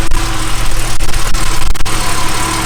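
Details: 1978 Jaguar XJ6 Series 2 barn find, off the road 24 years, engine warming up; deep, even idle with steady low rumble, no rattle or tapping; normal idle.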